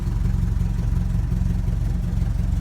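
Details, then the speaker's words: 1961 Triumph TR3B dead cold, idling very low, slow and lumpy with deep steady chuffing; oil pressure just under 50 psi, charging barely above zero amps. "good that's nicely tan we have such a low idle here it's not uncommon to see a generator light on okay we're dead cold"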